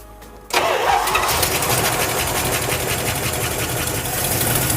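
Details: Junkyard Plymouth Cuda V8 fired for the first time on its stock gas tank: the starter whirs briefly, then the engine catches cleanly and settles into a steady, loud, even idle. It gets fuel fine and the alternator works.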